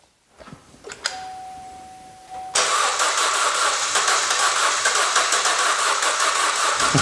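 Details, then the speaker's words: 2013 Chevy Cruze parked about a year, crank-no-start, accessory belt cut off, battery possibly weak: chime, brief crank, then catches cleanly into a steady even run; normal crank and start. "well it's gonna start hold on there you go so I guess the battery might be a little bit weak now after trying to start it all those times but um we hear now that it's starting"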